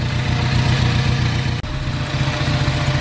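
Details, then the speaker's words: Ford Focus ST just after engine swap, idling, low on fuel; steady, low four-cylinder idle with an even beat, no knocks or misses; running well, normal idle. "So yeah, we're just letting it idle. It's running pretty right now. It sounds good."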